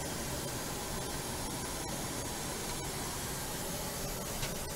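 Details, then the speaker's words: New Goodman upstairs blower/air handler after replacement with 2.5-ton 13 SEER R410A system, thermostat at 72°F: soft even airy hiss, no rattle, hum or bearing noise; running very quietly and normally. "here's the upstairs unit all running very quiet compared to the other one can't even hear it run at all when this door is closed also part of goodman unit"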